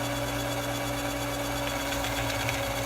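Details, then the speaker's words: Frankfort Arsenal Platinum case prep and trim system doing primer pocket swaging: steady motor hum with a rough, even grinding that stays at the same pitch, easing off as the swager bit finishes; normal swaging. "that grinding noise? When the pressure lets up off this swager bit, that's when you know you've got it done."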